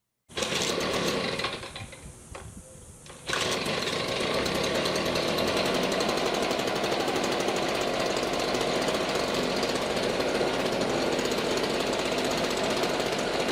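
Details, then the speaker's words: 10-year-old STIHL BG55 two-stroke blower, never maintained, past RPM issues, cracked gas bulb, baseline before new plug, air filter, gas bulb and spark arrestor cleaning: high fairly steady buzz after a dip near start, slightly uneven beat; runs a bit rough. "Not bad, but maybe it'll be smoother by the time we're done with maintenance."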